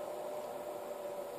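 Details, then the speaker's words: Pevono PS305H 0-30 V 0-5 A DC bench power supply driving a 10 ohm 75 W wire-wound resistor load; soft steady airy whoosh with faint thin tone, no rattle; variable-speed cooling fan slows as voltage and current are turned down, normal. "I turn the voltage down and the current the fan speed decreases so it is an actual variable thing a variable speed fan actually changes which is nice"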